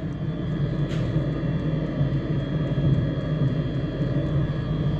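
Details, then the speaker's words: Truck diesel bunk heater after rebuild (new glow plug, screens, blower motor), blowing hot air: even low combustion rumble under steady blower whir, no pops or surging, much healthier than before. "And it's sounding a lot healthier than before. Oh, that feels good."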